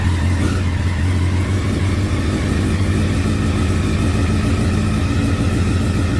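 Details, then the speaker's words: 2009 Honda Fireblade CBR1000RR, crash-damaged, sat outside in an auction lot a long time, battery not fully charged: steady low drone with no clean crisp pickup; runs rough after storage, cause not confirmed. "I did turn it over last night briefly. Um it didn't run very well, which is to be expected seeing as it sat in an auction lot outside for quite some time."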